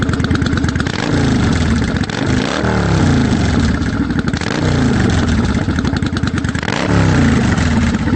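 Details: 1992 Yamaha Virago XV750 V-twin with slash-cut Jardine Rumbler pipes with baffles and Dynojet stage 1 jets, mixture screws adjusted: deep loping idle with several quick throttle blips climbing and settling cleanly; normal idle and revving.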